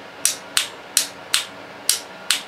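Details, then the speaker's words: Heavy-duty starter relay with its case grounded, energized: six crisp, sharp clacks about every third of a second as the contacts pull in, heavier than small 30 A relays; normal switching. "can tell just by listening to it that it's a lot heavier duty than these little 30 amp units"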